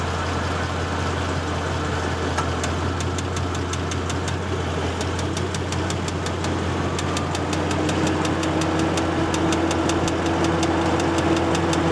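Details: 2014 Ford Mustang GT V8 manual track pack, 6,000 miles, idling in neutral with heat and AC compressor on: sharp, regular ticking about three times a second; piston wrist pin knock, engine replaced under warranty.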